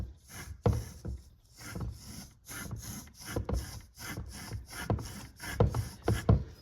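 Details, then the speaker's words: 2013 Volkswagen CC grinding from the front end: a removed front wheel bearing spun by hand makes rough, gritty grinding in uneven bursts. The bearing has failed; it is noisy and another won't even spin. "That's pretty noisy. Let's try that. This one won't even spin. Hear that one? That one's worse."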